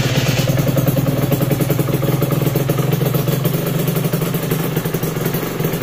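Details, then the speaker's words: Aprilia RS125 two-stroke project bike, first start with tank fitted, low on fuel, throttle blips: raspy crackle with uneven, slightly stumbling beat at steady revs; mixture sounds off, runs but needs jetting. "It's hardly got any fuel in it, so need to get some. Do need to do some jetting on it though."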